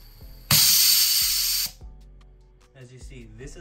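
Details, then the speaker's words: Autoclave sterilizing tattoo pen grips with heat, steam and pressure: a sharp, steady steam hiss lasting about a second, then a clean cut-off. The safety valve is venting normally as pressure builds, releases and builds again in a repeating cycle. "You can see the pressure is collecting. It's releasing the pressure like so. The pressure again begins to build up and collect."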